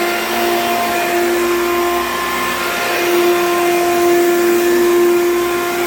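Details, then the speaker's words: Hoover U3109 5.5 A vacuum, dirty: loud, steady high-pitched roar with a hard tonal whine holding level; motor runs far noisier than it should, and it smells burnt afterwards. "This thing is very heavy. And it's very loud, which is unfortunate, because this is almost a nice machine, but it's very loud."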